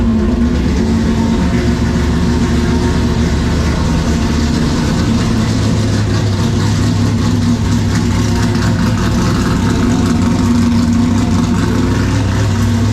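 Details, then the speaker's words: LS2-based former carbureted stock car, Holley Sniper 2 replaced by Haltech Rebel LS, loud fuel pump: cold start in garage catches instantly and settles to a loud steady deep idle; starts much easier than before. "that is incredibly loud um inside the garage now so that's what I'm saying that this thing just fires up so much easier than it used to"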